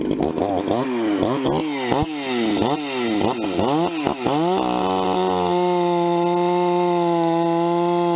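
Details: Vintage 266 chainsaw, recently started after sitting a while, bucking firewood: two-stroke pulls down and recovers rhythmically through the cut, then settles to a clean steady high idle; normal running under cutting load.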